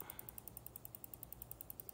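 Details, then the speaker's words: EVGA 800W BW ATX power supply fan: sharp even ticking about ten times a second over low hum when fan points upward, stopping upside down; a molded plastic burr catches on the stator: fan blade rubbing. "but that is very annoying this seems to be orientation dependent if you've got the fan pointed upwards it clicks but if we pick this thing up turn it upside down seems to stop"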